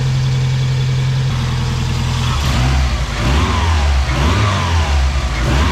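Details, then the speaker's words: 1993 Mazda Miata 1.6L turbo after installing CX Racing V2 turbo manifold to replace cracked leaking manifold, bigger muffler; deep steady idle then smooth throttle blips, much quieter, no ticking or puffing, no major exhaust leaks; normal idle and revving. "Much quieter with this exhaust, but also the muffler is bigger than what it had before. No major exhaust leaks, so that's good."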